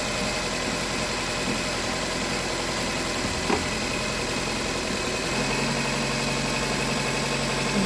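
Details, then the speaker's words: Nissan Cube engine idling evenly and steadily with no stumble or skipped beats after an ignition coil was replaced; earlier P0300 random misfire, codes about to be cleared. "Cleared up. Sounds good. Let me snap throttle."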